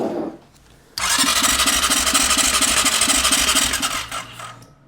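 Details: Suspected 2020 CF Moto 400 ATV, sold as blown engine: fast, even cranking about three beats a second, no firing, turning over too freely. Fuel pump runs while cranking; owner suspects low compression, no start.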